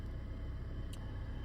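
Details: Cheapest Vauxhall Astra bought as a non-runner, 87,000 miles, not yet driven, possible water leak; engine now runs with a steady, even low idle, no knocks, misses or ticks, sounding healthy.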